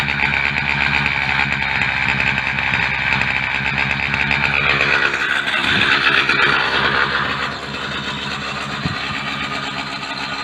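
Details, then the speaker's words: Mk4 at idle with a blown exhaust gasket at the front pipe; rough raspy idle with sharp puffing and chuffing from the leak; engine otherwise runs well, no smoke. "well Kitty and I made it home safely and here the exhaust is leaking away but it's got a phone"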